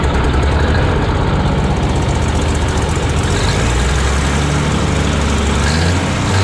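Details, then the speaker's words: 1957 Autocar diesel truck, first start after 15 years unused, warming up, possibly not on all cylinders: loud, lumpy, slightly uneven idle with some knock in the clatter; owner suspects dirty injectors and old fuel. "so she's running now she's still running a little bit rough but not bad I think probably it's got some dirty injectors and some more fresh fuel probably helped"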